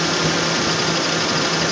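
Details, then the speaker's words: 1994 Ford Aerostar van needing a tune-up, idling: busy, hissy idle with uneven low thrum and some clatter; rough running due for tune-up. "well this is what a van sounds like when it needs a tune up it's a 94 for AR STAR"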